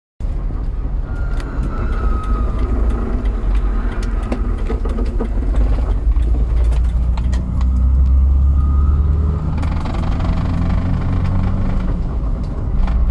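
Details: 2001 Jeep TJ with a thin, mid-pitch whine that rises and falls with RPM and drops in and out seemingly at random over the engine rumble. A whine that follows engine speed, source not pinned down.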